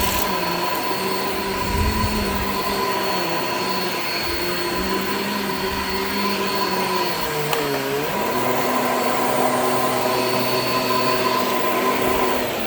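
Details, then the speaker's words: Shark Infinity Pet Care vacuum in carpet mode with old, worn brush roll belt: steady motor whine sagging in pitch around eight seconds then recovering as the brush roll repeatedly stops; belt needs replacing. "creaky creaky creaky all right so as you could hear the belt on this is like pretty much shot like it's it's really old clearly needs to be replaced"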